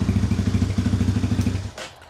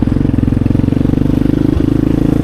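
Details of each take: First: 2020 Chinese Apollo 250cc kickstart dirt bike, cold start with the exhaust completely cold, after electrical repairs for no starter and no spark: quick, even single-cylinder thumping, steady until shut-off, idling cleanly. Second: Chinese Apollo 250cc dirt bike, sat 2 years with gas left in carb, ridden: single thumps at steady low revs, never climbing or opening up on throttle; won't rev out; owner suspects dirty carb.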